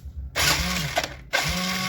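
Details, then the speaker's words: Kawasaki ZX electric starter test, engine won't start: two short bursts of starter whirring and ratcheting with no engine catching; one-way starter clutch slipping. "Oh. Ini tidak menarik. Oh, ini tergelincir."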